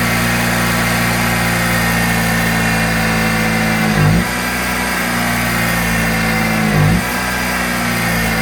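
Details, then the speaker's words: Kohler 6.5kW marine generator during an AVR excitation capacitor test: engine speed surges and sags in a slow cycle every few seconds and never settles. Speed hunting; cause suspected, not confirmed. "As you hear that starts, the generator just going ring, because it's trying to basic"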